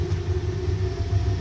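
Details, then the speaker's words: Rocket-style waste oil burner heater at startup with the turbo air switched on: a steady low roar with a fluttering rumble as it picks up and burns evenly. "okay so I'm gonna turn on the Turbo Air [Music] and you can hear it pick it up"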